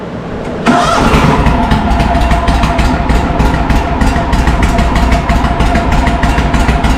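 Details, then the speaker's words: John Deere M665 zero-turn idling after the carburetor was tightened and both exhaust manifold gaskets were replaced: still a harsh, blatty, overly loud putter with a high-pitch note. Owner suspects a rotted-out baffle or a hole in the muffler; the gaskets are tight. "might have a hole in the muffler. I didn't really examine it the best, but it could have a hole somewhere in the muffler cuz I know I got that exhaust gasket tight."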